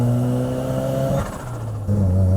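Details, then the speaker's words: Mazda FD RX-7 on first test drive after purchase: under full throttle the pull drops away about half a second then surges back; turbo boost breaking up, called compressor surge and possibly limp mode, cause unconfirmed. "So while we were on our test drive, you can actually hear that when he puts full throttle on it, you can hear that the turbo breaks up, like there's a boost issue or something going wrong with the motor."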